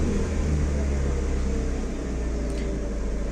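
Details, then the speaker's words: Chevrolet (Aveo/Optra/Corsa type) with a warm engine stuck at a high idle of about 1300–1400 rpm, a steady raised hum that never drops. The TPS reading won't return to 0%, and the cause is traced to ECU ground voltage spikes. "fijarnos en este dato cuando no está en 0% vamos a tener este tipo de problema ya se encuentra acelerado"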